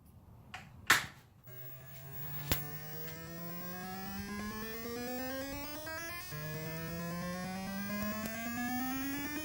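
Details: Defender arcade sound board with all caps, voltage regulator, crystal, bridge rectifier and PIA replaced: a rising electronic tone sweeps up, cuts off and restarts about every five seconds, endlessly. The fault is isolated to the sound board, since a board swap fixes it.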